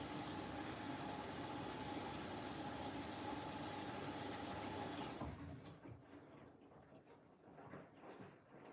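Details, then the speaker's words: New Siemens 10 kg washing machine, first cycle, drum clean with 1 hour 10 left: steady whooshing spray with faint even hum and no rattle for five seconds as the jet runs, then cuts out; healthy jet pump. "1 hour 10 left. The jet's on now as well."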